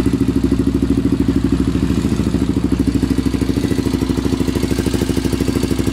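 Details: Honda 400EX single-cylinder at idle with rapid ticking, about three per second, over the clatter. The owner thinks the valves badly need adjusting; unconfirmed. Engine ticking.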